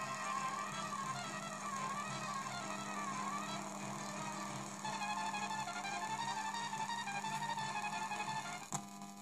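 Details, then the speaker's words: MP3 module powered from a tape deck's DC motor supply and played through its amplifier and speakers: steady low mains-type buzz under faint music; hum in audio output, suspected ground versus audio ground problem. "noise? I think It happens because ground and audio ground of the"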